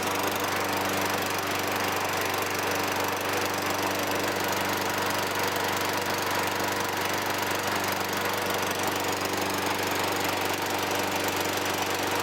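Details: 2003 Toro Recycler 20016 with Tecumseh 6.5 engine, a trash find with carb and gas tank cleaned, restarted after cooling down. It holds a steady, even drone at constant speed with no stumbles, knocks or surging. The earlier smoke disappears; the oil later proves dirty.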